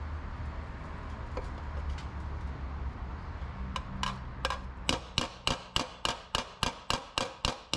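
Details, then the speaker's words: Shrinking a high spot on an aluminium AC Cobra body panel, hammer on dolly in a spiral toward the centre: sharp blows about three a second turn bright and ringing; that clear ting means the material is consolidated, so move on. "it works the same for bigger high spots as it does smaller high spots you just want to move your way around and when you hear the Ting that's how you know it's time to move on to the next spot"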